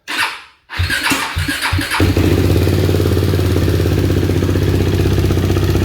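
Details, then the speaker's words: KTM 390 Duke after installing an APE manual cam chain tensioner, started after sitting a while; a few cranking bursts, then the single settles into a steady, even idle with no chain rattle or valve-train ticking, so the result is normal. "Okay, that actually sounds really good. Valve train noise, I haven't heard any. It sounds on par with exactly what it's supposed to sound like, so I'm very happy with our result."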